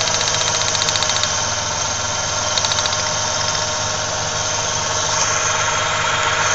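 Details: 1995 Ford Ranger Splash 3.0L V6 at idle: ragged idle with a loose knocking beat three to four per second, heavy vibration and strong gas smell; misfire suspected, spark plug wires being checked.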